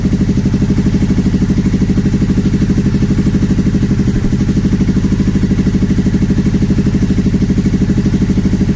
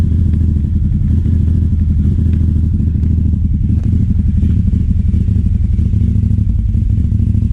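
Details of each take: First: 2009 Aprilia Shiver SL750 after replacing both air pressure sensors in the airbox: an even, steady twin-cylinder idle pulsing about three times a second. The idle had been jumping up and down after about a minute of running. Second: 2009 Aprilia Shiver SL750 twin after about a minute running: hunting idle drifting up and down, no error messages; replacing both air pressure sensors in the filter airbox seemed to fix it.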